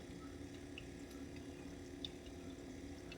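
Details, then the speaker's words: Sand car coolant pump just powered up: quiet, steady hum with faint gurgling; the pump circulates well with no leaks. "I don't see any leaks pump sounds really good I hear it gurgling"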